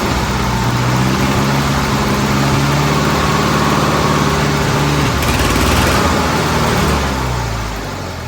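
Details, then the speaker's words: Old Bobcat 610 skid steer, Wisconsin petrol engine, after freeing a stuck exhaust valve and sealing with grey silicone: fired up and idled a while, running pretty good; picks up to a steady even beat, eases back, revs cleanly. Normal running. "I just fired it up, let it sit here and idle for a little while, and it was running pretty good and everything."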